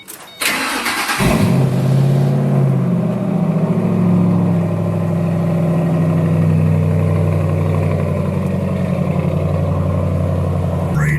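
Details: 2005 Mustang three-valve V8 with MSD coil packs and twin-disc clutch. Cranks and catches cleanly, settling into a deep, steady burble with even firing and no knocks or ticks. Normal start and idle, healthy engine.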